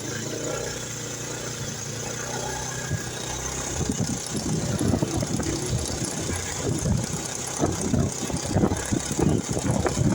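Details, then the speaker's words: Scooter (automatic/CVT) idling, then a loose, uneven metallic clattering rattle from the side engine case grows louder and busier; suspected in CVT or clutch housing, traced to a dry clutch housing bearing. "Nah, jadi di sini masalahnya ada di bagian mesin samping ya teman-teman. Di bagian mesin sampingnya bunyi kemeretek."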